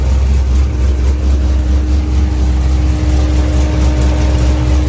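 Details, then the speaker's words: Corvette Z06 V8 with big throttle body and nitrous plate, after water pump replacement and new radiator cap; steady even idle, smooth low rumble with faint constant belt tone, no knocks, squeals or misses, no coolant leaks. "Belt's running pretty even. Not seeing any coolant leaking anywhere."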